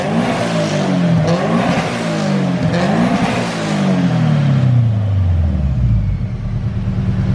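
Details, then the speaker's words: Subaru BRZ with newly installed turbo kit, first start-up, checking fuel trims, vacuum and leaks; revs rise and fall with a clean whistle as the turbo spools and slows, blow-off valve inaudible over the engine; normal turbo spool and wind-down, no rattle. "But I can hear like the turbo like spooling, slowing down, which sounds pretty good. Damn. Look at that turbo, just keep on spinning. Listen to that little whistle. That's the sound of success, boys."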